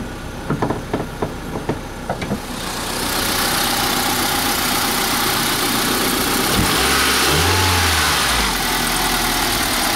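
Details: 2003 Honda Civic: a few clicks, then the engine catches and runs with a coarse, rough grinding undertone of undetermined source.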